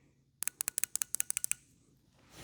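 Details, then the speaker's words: TBI injector from a 1987 Chevy C10 305, removed and bench-tested: about eleven crisp, sharp clicks in just over a second as the solenoid snaps open and shut; injector working. "And if everything goes right, this thing should click. Yep. That means that little solenoid in there, if you will, is working back and forth."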